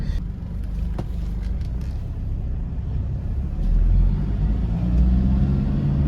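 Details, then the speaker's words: Toyota Innova 2KD diesel that stalls on its own while driving: revved to 2,500, check-engine light comes on and it won't rev, held around 1,000–1,500; low rumble swelling only slightly, limp mode. Suspects include SCV, fuel filter, fuel supply, sensor, weak pump. "Nah, ini kita gas di 2.500. Dia tip lampu enginnya lagi. Lalu enggak bisa digas. Hanya di 1000. 500."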